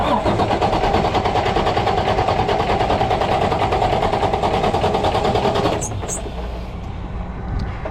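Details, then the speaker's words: Freightliner heavy truck broken down after running out of fuel, cranking with pedal held to floor after refilling: steady cranking at about two and a half beats a second, catching weakly but not running; air in fuel system. "well what you do is once you crank it kind of hold the pedal to the floor if it starts catching try to keep your rpms up until it smooths out all right it's already taking fuel we saw the bubble yeah"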